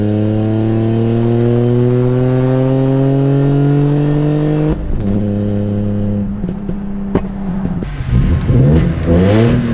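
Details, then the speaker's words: BMW E46 M3 straight-six with RKTunes: rev climbs smoothly then turns ragged with stumbling pops, struggling to accelerate; possibly missing cylinders, service engine light on. "that doesn't sound right that doesn't sound like a normal the M3 should not sound like that it doesn't it's not making the same engine sound"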